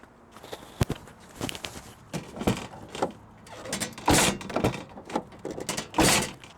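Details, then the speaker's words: SUV rear hatch slammed shut: heavy thumps, each followed by a tinny rattle from a metal license plate frame that is fully tightened, also damaging the paint. "do you guys hear that that is the rattling of my license plate frame you probably think I'm not tighten it tighten enough"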